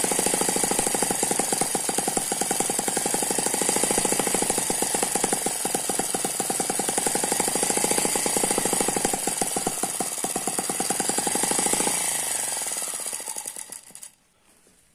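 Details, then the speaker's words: Eachine ET9 (M15) mini single-cylinder gasoline model engine with twin internal counterbalances: fast even firing with steady high gear whine like a turbo, then winds down and stops cleanly; smooth normal running. "that's a very smooth running engine it does not dance around"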